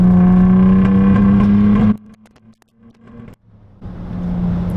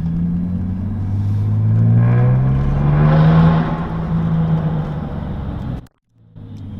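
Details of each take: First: Car with a newly fitted turbo and no tune yet, warmed up, downshifted to third around 50 and accelerated hard: loud steady drone that stumbles under load, a misfire under boost. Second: 2008 Saab 9-3 Turbo X with newly installed upgraded turbo, on a drive: revs climb, then fall away off throttle with a soft turbo whoosh as the engine comes down. Sounds better than the old turbo; normal spool-down.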